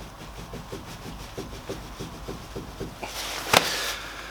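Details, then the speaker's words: Renault Clio Mk3 jacked up, with the rear wheel rocked by hand: light, regular clicks about four or five a second as play is felt side to side and top to bottom, pointing to a worn rear wheel bearing. The owner blames the aftermarket wheels he fitted. "I can check some bottom I can feel a bit more play I can check across and I can feel more play again so if you can hear that at all"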